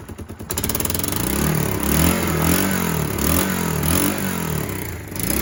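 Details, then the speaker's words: Kawasaki KLF300 Bayou 4x4 ATV single cylinder, after fitting a different spark plug, cable and coil. Idle is higher but runs uneven and lumpy, surging about twice a second with sharp pops. This is exhaust afterfire, not the earlier intake backfire. "That's actually igniting in the exhaust. That's not a backfire."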